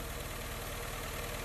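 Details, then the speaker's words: Honda Fit that is noisy, weak and misfiring, idling before throttle body service: uneven, lumpy idle with a light ticking knock through the low thrum; excessive intake valve clearance makes it run rough. "Eu já vou ter certeza se tem mais irregularidades ou não come isso um dia vai querer fazer uma revisão aqui no motor porque essa marcha lenta dele né tá bem estranha"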